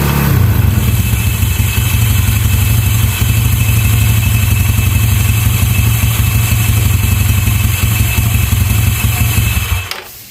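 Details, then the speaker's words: Yamaha Mio scooter at idle after fitting a local aftermarket starter one-way clutch: loud, busy idle with a fast uneven rattle from its too-stiff roller springs; fix is cutting the springs shorter. Starter one-way clutch rattle. "Jadi karena per tersebut ya, karena per yang cukup keras tadi akhirnya menimbulkan suara yang berisik tadi ya teman-teman dan ini benar-benar risih sekali ya dan saat langsam ya apalagi saat langsam ya atau stasioner ini sangat berisik sekali"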